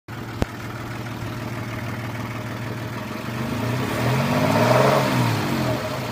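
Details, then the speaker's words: Honda H20A engine with a steady knock, about four per second, coming from the rear and growing with revs. The owner first suspected hydraulic lifters, then the chains; someone suggested bent connecting rods. The source is unconfirmed. "стук идет где-то сзади. Сначала думал гидрокомпенсаторы, потом что цепи."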